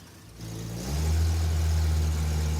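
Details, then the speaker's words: Engine revved from idle: flat, dull, lazy-sounding rev; timing light shows 5 degrees at idle and no advance at all when revved, distributor advance mechanism suspected stuck. "It has no advance at all. It's at 5 degrees all the time."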